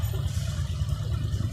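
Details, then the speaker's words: Honda Click 125i (LED) after replacing 3-piece belt-side parts including worn plastic slider and refitting the cover; steady low idle, even pulse, no kick-starter or gear rattle or scraping, quiet; normal idle. "ม.คม.คนะครับไม่มีเสียงตัวสตาร์ทเท้าไทยละไปลากับเฟืองข้างในนะครับทุกอย่างเงียบเป็นปกตินะครับ"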